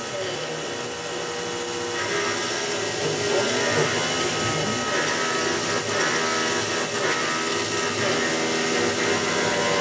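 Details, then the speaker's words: CNC milling an RWL34 steel knife blade at about 3600 RPM and 10.5 in/min feed: steady high spindle whine with even cutting hiss, no chatter or squeal; clean cut, much quieter than before. "yeah it's having no problem doing these cuts at all so this is uh 34,000 steep we got uh 10.5 in per minute about 3600 RPM much quieter cut than before"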